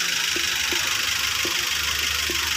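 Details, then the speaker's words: Car engine after an overhaul caused by overheating, oil circulation confirmed: a stable idle under a constant airy hiss, only a few faint ticks and no shake or stumble. The engine runs smoothly. "Oke kondisi mesin stabil ya tidak goyang tidak kencang kemudian suaranya main halus ini halus"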